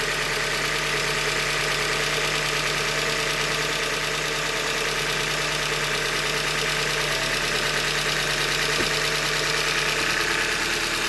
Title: 91K - 2015 Hyundai Elantra Limited Engine Knock - Short Block Failure- Manufacture Defect